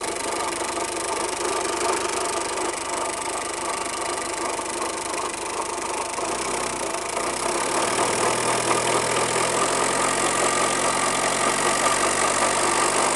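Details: 1998 Renault Kangoo 1.9L D55 diesel with the accessory belt removed, no power steering: diesel clatter with a steady raspy scraping rush that rises with revs; odd rubbing noise varying with engine speed, source unknown.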